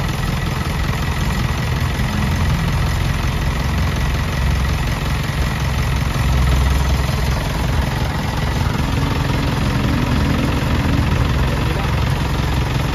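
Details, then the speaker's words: Selfloader truck PTO had been noisy even when switched off; after the pump was refitted with its gear wheel, a steady, even low diesel rumble with no grinding or whine from the power take-off. Drive sounds smooth, normal running. "Gag mga kayag so wala na siyang ingay mga ka kayab naririnig niyo naman y kayab mga kanina mga kayab sa nang Inay nung una una natin pinaandar"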